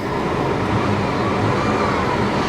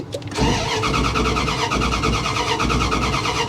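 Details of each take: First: GM 3800 V6, cold AC running, engine earlier seemed to shake a little: smooth rising rev with an even tone, no stumbles, pops or misfire; healthy engine revving. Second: Low-mileage salvage-auction vehicle started by holding an ignition ground wire in place and using a screwdriver. Even starter cranking at about three beats a second for six seconds that never catches. It shows completely out of gas: crank, no start.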